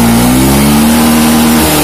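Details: Honda Beat FI scooter, after the battery fault behind its weak fuel pump pressure was dealt with; charging steady at 14 V; clean engine note rises smoothly with throttle and holds even, no hesitation or misfire.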